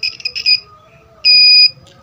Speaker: Alat itu akan berbunyi sekali atau tidak berbunyi sama sekali. Ya, kapasitor ini masih bagus.